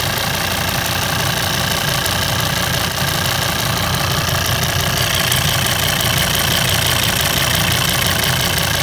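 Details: Volvo 136 kW engine at idle: light, fairly quick tick about three per second over a steady idle; owner unsure whether normal, cause not determined.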